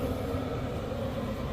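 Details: HCalory Toolbox 2S Plus diesel heater running on about a quarter gallon of fuel after the tank was leveled. A quiet, even hum from the fan and burner with no ticking or surging; super quiet, normal running.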